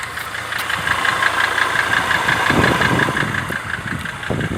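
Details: Mercedes W209 CLK 270 2.7 CDI diesel at idle after near-overhaul (rings, bearings, cylinders honed), quieter at first, knocking after 3000 km: sharp regular tick about three a second above the clatter; internal knock.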